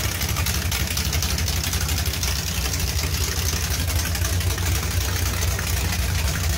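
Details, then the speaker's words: 383 V8 with Whiplash cam and small-valve heads at idle: uneven choppy cam lope now audible over a sharp ticking puff from a remaining exhaust leak; sounds better than before. "[Music] that sounds a lot better you can actually hear the cam over the exhaust leak"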